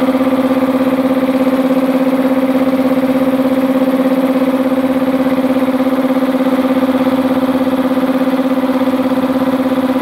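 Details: Multipro 2 HP electric air compressor with tank, 2.2 kW single-phase motor, after cleaning dirt from the blocked check valve that leaked air at the pressure switch: loud even pumping thump about 200 per minute, steady low hum, no hiss; filling normally.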